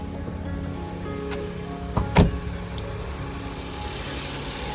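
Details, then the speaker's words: Tata Nano with an engine misfire problem, after spark plugs and ignition coil were changed and a new engine control module was installed and paired. It now holds a steady, even low idle hum with no stumble or vibration; the problem is solved. "Engine भी कोई कंपन नहीं कर रहा है गाड़ी okay है"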